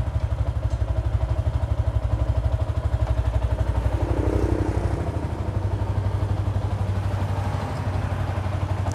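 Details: Yamaha Exciter 150 idling after intermittent no-start traced to a flaky wiring junction at the ignition switch: even steady single-cylinder thump about four beats a second, no misses; idles cleanly.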